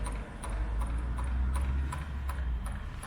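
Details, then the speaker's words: Webasto diesel fuel heater fitted to a Land Rover Freelander 2, component test at 60 seconds: sharp even ticking about three per second over low hum, dosing pump working normally, probably drawing fuel from main tank. "you can hear the four pump ticking that's the full up i'm taking"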